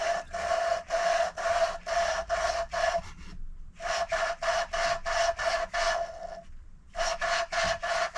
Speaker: So just get your fine and you stick it on there. You can feel the difference with your fingers actually. Now you hear a difference in the noise as it starts as well when I start grinding it.